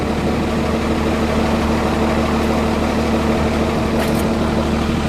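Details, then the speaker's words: Cummins diesel truck cold-started with block heater plugged in and grid heaters unplugged; steady, even idle clatter with no stumbling or misfire, a little smoke noted; normal cold idle showing block heater's benefit. "That's how much difference a block heater makes. It has no grid heaters plugged in at all right now."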